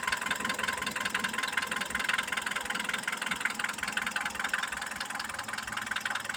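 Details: Mitsubishi Pajero iO with a 4G94 engine: a sharp, regular tapping about two and a half times a second over the idle; owner is asking what the engine knock could be, cause not pinned down.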